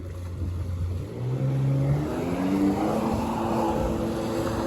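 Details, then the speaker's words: Older Sea-Doo GTX jet ski after replacing the rectifier, running on the lake: the engine pulls up cleanly from a low drone to a higher steady note with even revs and no misses or knocks; the oil warning is suspected to be just low oil. "so i don't know if i'll come back out onto the lake before i post this video but just know that everything did work"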